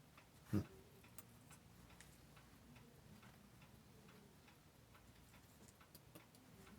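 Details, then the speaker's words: Seiko 6306-7001 watch movement after restoration: faint, even ticking with no whine from the gear train, the teeth meshing right on the center wheel; nearly silent, a good sign. "gosh it sounds so quiet too that's a real good sign"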